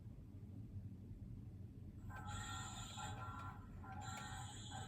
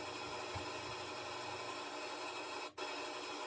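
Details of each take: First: Washer still spinning and working: low motor hum broken by two harsh screechy bursts from a worn, slipping drive belt; belt replaced. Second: Washer after replacing the broken belt: steady, even whooshing rush of the drum spinning fast on spin cycle, no thumping or slipping; repair successful, spin sounds normal.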